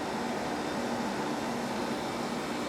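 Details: Samsung 5,000 BTU window air conditioner, rotary compressor, R-22, after repairing a corroded power wire to the capacitor: steady even air rush with a soft hum, no rattles or buzzing; normal running, very quiet.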